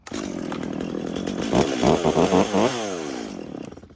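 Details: Stihl MS 250 chainsaw after a no-start complaint, restarted: strong steady two-stroke buzz with a few quick throttle blips and a clean drop back; runs smoothly, and the stop switch now turns it off properly.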